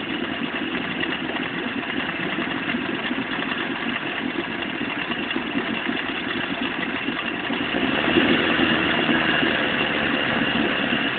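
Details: Vetrok-8 outboard, part 2: steady running with a dull, uneven tapping about three times a second under the drone; engine knock, cause unknown.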